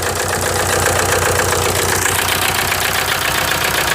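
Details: 1998 VW TDI diesel, ~500,000 miles, run on 80% waste vegetable oil; rough uneven pulsing idle with strong breathy hiss through the open breather. A stuck piston ring blows compression into the crankcase, causing heavy blow-by; rings to be replaced.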